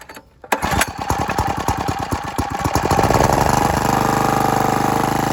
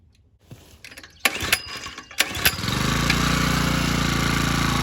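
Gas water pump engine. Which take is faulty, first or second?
second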